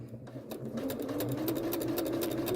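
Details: Janome sewing machine fitted with the even feed (walking) foot, sewing straight-stitch quilting lines: fast, even ticking over a smooth motor whir that rises slightly in pitch as it speeds up. Walking foot clicking normally.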